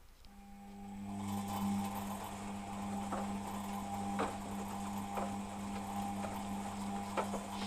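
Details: Beko WMP 601 W 6kg 1000 rpm A+ washing machine: faint rough grinding with light knocks about every second heard over steady motor hum while the drum tumbles during wash; not present on spin, cause unknown.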